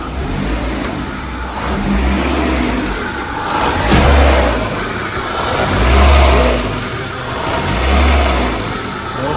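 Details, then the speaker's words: VAZ 2110, cold engine, check engine light on: rough idle with revs rising and falling about every two seconds; owner suspects a vacuum air leak, a cracked hose seen. "Машина так жахливо робить. Вона якісь обороти саме і чути, що десь сосе воздух."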